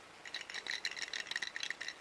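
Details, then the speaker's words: Broken PCTEL GPS timing antenna (3.3–9 V DC) being shaken before teardown: light clicking rattle of loose bits tumbling inside in irregular bursts; something loose internally, source unknown. "you if you can hear I don't know if the microphone picks it up but you can hear something rattling"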